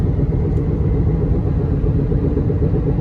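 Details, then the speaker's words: 2011 Honda Accord while driving: a deep, steady rumbling hum that increases on left turns and goes away on right turns, from a bad wheel bearing. The owner suspects the left one because the noise comes from that side. "Increases, goes away. Increases, goes away. So yes, that's a bad wheel bearing."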